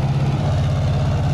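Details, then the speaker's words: Bobcat skid steer warming up, choke down, with a distributor reluctor still missing: low, lumpy idle with an uneven beat where one pulse keeps dropping out. It is misfiring and running on three cylinders. "We still need a reluctor for the distributor because it's running on three cylinder, but you're having issues trying to find one."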